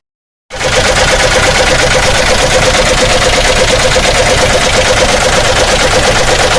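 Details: Chevrolet Omega engine: after a leaking block water seal was replaced, a loud, harsh clattering knock at a few beats per second remained, heard with the valve cover removed. Inspection suggests a broken connecting rod. Connecting rod knock.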